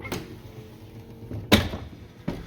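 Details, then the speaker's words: Lincoln Continental front door: faint motor hum then a sharp, heavy clunk as the vent (triangle) window lowers, at the point where the main window starts down; not on the way up; cause unknown. "that clunking sound right there doesn't do it going up right there I just don't I don't like that that doesn't seem right"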